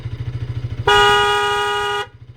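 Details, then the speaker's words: Bajaj Pulsar RS200 with newly fitted 7M wind tone horn, engine idling: about one second of clear, steady horn note over a thumping single-cylinder idle; normal horn operation after fix. "Horn fix பண்ணிட்டோம். இப்போ நான் அதை வந்து எப்படி work ஆகுதுன்னு உங்களுக்கு காட்ட போகிறேன்."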